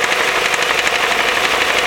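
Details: 2.0L Duratec, 310k miles, second clutch: sharp, fast knock at idle with no deep rumble, worse than before and quieter with the clutch pedal pressed; owner suspects the worn spring-loaded flywheel (152k miles).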